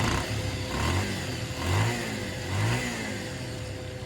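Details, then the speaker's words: Bajaj Pulsar motorcycle just after a full engine fitting, key-started: it runs steadily with a few smooth rises and falls in revs and no knocks or rattles. The engine sound is judged very good. "ये start हो गई और engine का sound देखिए कितना sound मस्त आया है। साउंड वगैरह सब बहुत अच्छा आया है।"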